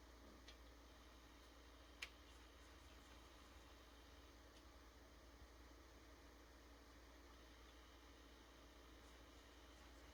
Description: This is what a quiet normal functioning PS5 should sound like.